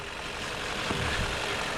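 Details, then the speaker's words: Chevrolet Malibu with P0556 and a hard brake pedal, after repair with the vacuum pump/camshaft reluctor wheel repositioned, running about an hour with no check-engine lights: even, steady idle with no knocks, ticks or misses under a light hiss. "been running all right guys it's been running about an hour and told time yesterday and today"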